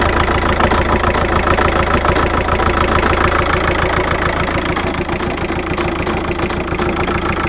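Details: VW Touran BKD diesel, after a new tandem pump and lift pump and a Racor S3213 fuel filter fitted to cure hard starting and stalling when hot: even diesel clatter at a steady idle, about three and a half beats a second, no hunting; idling healthy.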